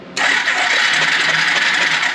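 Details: Free yard-sale Suzuki 4-wheeler unrun for years, electric start with spark plug out for spark test: steady fast high whir, no compression beat; starter, coil and plug spark working fine.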